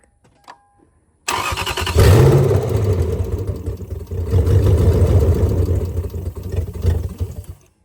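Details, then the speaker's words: 2001 Lexus IS300 with swapped 1UZ V8, first start after immobilizer reset: starter catches quickly, revs flare briefly, then steady low idle holds without stumbling; engine not yet responding to throttle pedal. "it's running but for some reason it's not responding to the throttle pedal so we got to figure out what's there but it was sit here and idle great"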